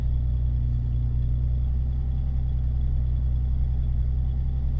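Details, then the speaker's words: Turbocharged Megasquirt flex-fuel car on roughly 50% methanol blend by volume: steady, even low idle rumble with no misses; fuelling compensating, running healthy. "sounds like it's still running great the ethanol content um is compensating so we're getting 30 more fuel sounds healthy so perfect"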